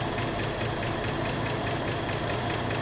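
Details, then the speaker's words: 1984 Ford F150 4x4 idling on fuel poured into the carb bowl, after a rushed valve adjustment. Light, fast valve-train chatter over a rough idle, keeping time with engine speed; owner fears stuck lifters given badly worn-looking pushrods. "You know, for that half-assed valve adjustment job, it don't sound too bad yet. Got a little chatter. I'm really concerned about lifters being stuck because of how bad some of them push rods looked, but wow, it's just idling."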